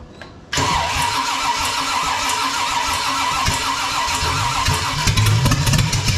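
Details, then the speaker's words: Freshly built 454 big block Chevy for a 1972 Camaro, first start with throttle pumped, distributor timing being adjusted, suspected one tooth off; steady cranking with occasional uneven firing pulses, almost lights but won't catch; cranking without starting. "Ooh. It's trying. It almost lit right there. Give it more throttle."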